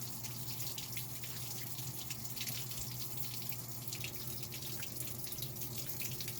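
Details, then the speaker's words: Maytag Bravos high-efficiency top-load washer on Normal wash with two towels, after the worn basket driven hub was repaired: a steady, even rush of water into the tub over a low hum, with no knocks or grinding. Normal water fill. "i got the washer set up to do a normal wash i just got two towels on there so we'll just uh let it fill up and you'll see everything's fine"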